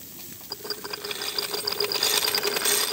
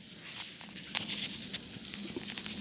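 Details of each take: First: Wilesco toy steam roller, regulator slowly opened from cold, cylinder still cold: uneven, wet hissing chuffs, slow and irregular, as condensate is cleared before it settles into a run. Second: Wilesco toy steam roller steamed up from a cold boiler as water starts to boil: soft hiss with a faint crackle of boiling underneath. The safety valve is beginning to leak steam.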